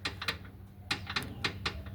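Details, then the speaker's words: 2005 Ford Fiesta gives sharp metallic clacks, in pairs and singles, from a rear gearbox mount moving by hand; the original bolt and nut had stripped threads and would not tighten, replaced with a new bolt and reinforced nut. "proprietário desta Fiesta me informou um barulho. Fiesta 2005."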